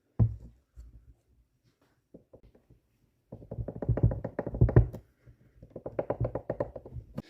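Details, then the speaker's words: VW Mk2 Golf GTI 16v new water pump, removed from car, failed within about 400 miles: pump spun by hand with pulleys off gives bursts of dull gritty clicking, rough worn bearing causing the noise. "so i can't take it apart to test the bearing but you can hear the bearing so what i'm going to do is just measure it that's what's causing our noise"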